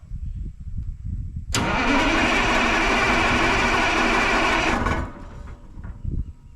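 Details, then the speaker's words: 1980 Peterbilt 359, Cat 3408 diesel, dead for years, started on ether because it isn't pulling fuel: brief crank, then catches and runs strong and even for about three seconds before shutting down; clean start, sounds mint. "Geez, it fired right up on ether. Dude, it sounds freaking mint. Yeah, it does."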